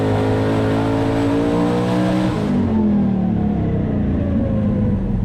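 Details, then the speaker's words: Twin-turbo 427 small-block Ford Fox-body Mustang with Holley EFI, 10:1, hydraulic roller, 2000cc injectors, on the dyno: a high-rpm boosted pull turns choppy and stumbling, misfiring, 1280; fresh plugs, gap to be tightened; battery voltage fell into the 12s. "Sounds like it's misfiring a little bit. That's a bummer. 1280. We'll tighten the plug gap up a little bit now that I just put new plugs in it."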